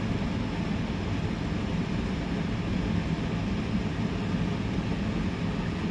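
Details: Portable air conditioner on high cool, set to 62°, powered by an AllPowers R1500 power station: a steady, even low whooshing hum with no cycling, rattles or squeal, so it is running normally.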